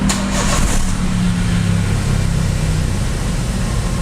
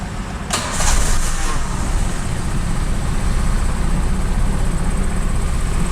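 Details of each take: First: Daihatsu Xenia/Toyota Avanza old 1000 cc, warmed up, AC off: after a blip the engine hangs high and drops very slowly, stopping at 1200 rpm instead of 900–1000 and rising further with AC on; high idle from a dirty idle speed control (ISC) valve. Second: Daihatsu Xenia/Toyota Avanza old 1000 cc, warm, after cleaning the ISC valve and pulling the EFI fuse to let it relearn, restarted: it catches within a second and settles into a steady, even idle with no hunting; rpm back to normal.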